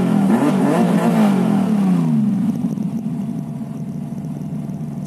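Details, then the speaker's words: 2002 TVR T350C with the rebuilt 4.3L V8, warm with good oil temperature and strong oil pressure. A throttle blip climbs and drops cleanly back to an even idle; it revs freely and sounds healthy. "pretty good you can see the oil pressure is really strong as well"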